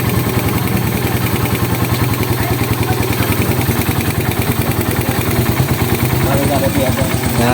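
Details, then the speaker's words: Suzuki Raider 150 carb after cam holder honing and shim replacement for a noisy head, warming up: even steady idle, no tapping or typewriter-like clatter from the top end; repaired, runs healthy. "ayan Okay na wala na siyang lagitik kasi nung una dating to parang ano eh Parang makinilyang okay na na maingay lang"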